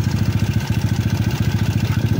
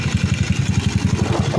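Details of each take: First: Yamaha Cygnus 170cc after the 4V head (59) reset. A steady, even single-cylinder idle thumping about thirteen times a second, with no ticking or tapping on top; the engine is now quiet and running well. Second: Yamaha Cygnus 170cc with a reset 4V head (59). At idle, the loose bendix kit in the CVT chatters in a quick, regular rattle of about eight beats a second, while the head itself is now quiet.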